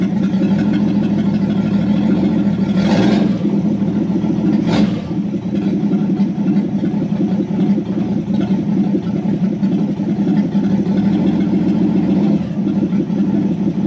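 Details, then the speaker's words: 1964 Ford Falcon four-door, six-cylinder, 3-speed column, off the road since 1984–85 and barn-stored, first start on jumper wire to coil with unknown-built carburetor: steady even idle with clean throttle blips, slightly open exhaust, sounds healthy; normal running. "I didn't want to touch it while it was running. That sounds pretty good."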